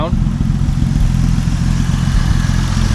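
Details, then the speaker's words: 1950 Dodge Meadowbrook engine warm at idle, oil pressure good, temp steady, temp gun readings about 134–152: deep, steady low rumble, even pulse about three to four beats per second; sounds pretty good, normal idle. "mean, does that sound good to you, or is that just me? That sounds pretty good."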